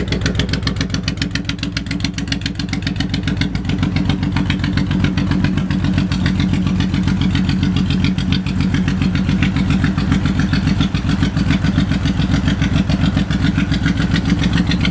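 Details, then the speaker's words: 2008 Honda VTX 1800F with 3,987 miles, just started: steady loping V-twin beat, about three and a half pulses a second, even with no knock or tick; sounds great, normal idle. "Go ahead and start it up. Low miles, 3987. 3987. Sounds great. This thing's a monster."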